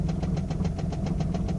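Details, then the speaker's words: Engine at idle, oil pressure 40 psi, temperature under 210°F: sharp even cluck about seven times a second from center below the intake, louder than a lifter tick, fades at higher rpm, slaps on deceleration; owner suspects worn cam lobe, unconfirmed. "So it kind of goes away at a higher RPM, but as you decelerate, it slaps."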